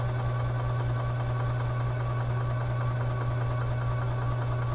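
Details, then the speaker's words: 2011 EZGO TXT gas golf cart, crank-no-start with wet gas, cranked in icy weather to prime the fuel system into a container. A steady buzzing crank with an even chug about 2.5 beats a second, no firing: normal cranking. "let's crank this engine over and get this fuel system primed it's dumped us in the container here"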